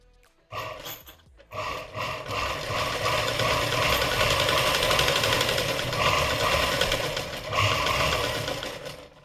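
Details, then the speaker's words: Domestic sewing machine running before oiling, loud harsh clatter about four beats a second from dry parts. "खूपच आवाज येतोय मशीनचा आणि आता आपल्याला तो आवाज कमी कसा करायचा ते बघायचंय"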